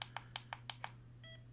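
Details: Feiyutech G6 Plus gimbal, a unit with a fault being returned: quick series of short, sharp electronic beeps, about three per second, then a brief higher tone; normal gimbal confirmation chirps.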